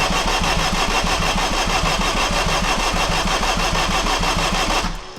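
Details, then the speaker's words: Turbo AWD Acura RSX (DC5) on a standalone ECU: steady rhythmic chug about three beats a second, never catches, stops; crank no start. Owner suspects the tapped ECU fuse drops 12 V while cranking, turning off the ECU so no injector or spark. "think probably the fuse that I have tapped into for the ECU it's losing its 12vt as it's cranking which is basically turning off the ECU so why would it fire the injectors or sparker do anything like it's supposed to"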